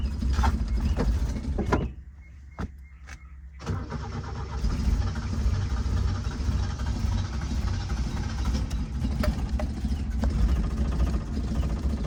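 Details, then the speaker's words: 1977 Toyota motorhome engine started after sitting for months, possibly flooded, with the pedal worked by the chain linkage. Just after catching it stumbles at a low, lumpy, uneven idle, barely holding on. Rough running while cold. "It's like kind of running. I'm gonna just leave it."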